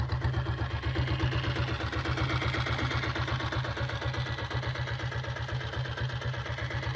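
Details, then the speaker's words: 2000-model Taurus diesel motorcycle: deep, even thumping at about four beats a second with no missed beats or knocks. Healthy single-cylinder diesel idling smoothly; owner calls the beat superb. "வண்டி rice பண்ணால் தான் உங்களுக்கு beat சவுண்டே கேட்கும். வண்டி beat கேளுங்க எப்படி இருக்குன்னு சொல்லுங்கள். வண்டி பீட் எல்லாமே சூப்பராக இருக்கும்"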